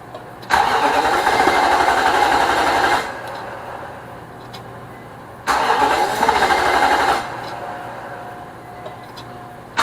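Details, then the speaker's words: Nissan Armada 5.6 V8 (2006) just swapped into a truck, on its first cold start with fluids filled. Two cranking bursts of steady starter churn, each a few seconds, never fire, a crank-no-start. The owner suspects the crank sensor or the fuel pump. "Houston, we have a problem. It won't start. Fuel line's connected. All the engine stuff is plugged in."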